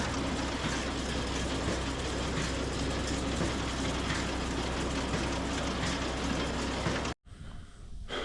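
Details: Swather header test run after clearing a binding issue, following damage the day before: even, steady rushing run with a loose rhythmic churn, no binding, knocking or grinding; header sounds healthy.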